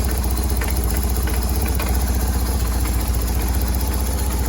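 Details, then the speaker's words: 2000 BMW R1100RT motorcycle, which had been bogging under load, first run after service with the choke on: uneven, loping, stumbling idle at about four pulses a second. The owner attributes the rough running to the choke. "if it were to leak it should be from somewhere in here on this side but it's dry and it should be choked that's why it's running so weird"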